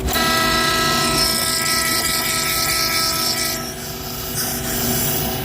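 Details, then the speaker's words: Frymaster fryer filter pump after cleaning sludge-plugged gear pump that tripped the motor thermal limit: steady motor hum with clean even whine, good suction, no cutting out; normal pump running. "So it's back together, and it does actually work now. Man, what a mess."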